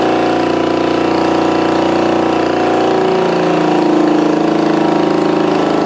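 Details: 1965 Honda CB450 Black Bomber twin, freshly installed replacement engine, first start on choke, throttle possibly not working: even steady idle with a smooth regular beat, no knocks or rattles; a runner, normal running.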